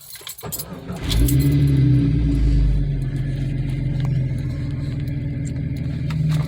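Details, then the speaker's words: Starter catches and the engine flares, then settles to a low, steady burble with no puffing or rattle. Heard after exhaust repair with V-band clamps, a tailpipe clearance tweak and a gutted clogged cat; the idle is smooth and normal. "idle smooth sounds good"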